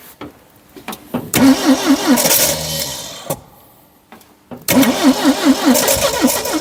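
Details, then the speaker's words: 1972 Triumph Dolomite 1850 barn find, off the road since 1990, choke seized: starter churns in two bursts, engine coughs and almost catches but never runs; fueling issue, fuel not getting through. "started okay definitely fueling issue definitely fueling issue"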